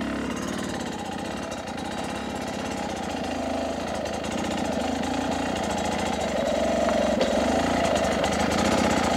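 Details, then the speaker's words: New 2023 Beta 250 RR two-stroke at low idle, almost stalling, then a couple of revs during initial jetting setup; crisp, even beat around four pulses a second, running cleanly. "first off let's hear the idle low like almost stalling I bet if I give it a couple revs sounds good betas are crispy sounding that's about it that's what we're looking for"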